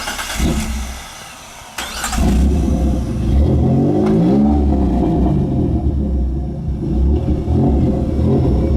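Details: 1993 Dodge Stealth with automatic transmission slipping and getting stuck in gear, awaiting swap to a rebuilt spare: on take-off revs climb while the car pulls weakly, pitch rising without matching drive, struggling to accelerate; transmission slipping.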